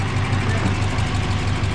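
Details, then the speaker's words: Subaru BRAT after engine swap, carbureted, steady even idle with smooth firing and no smoke, rattle, tap or rod knock, unlike the previous knocking engine; oil change still due. "sounds pretty good doesn't smoke Andrew doesn't rattle no noisy tap it snow or no rods knocking no nods are rocking nothing like that it's good"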